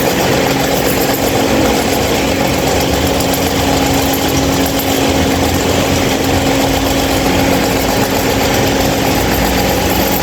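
A loud, steady hum with a constant tone and a rough buzzing underneath that never changes; the fan runs abnormally noisy, cause unclear.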